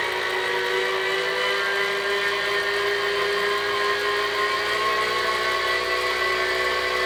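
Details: Kinetic R1 direct-drive smart trainer running: loud steady whirring drone with a bright midrange whistle and no knocks or grinding, louder than comparable trainers; slight vibration noted at lower speed.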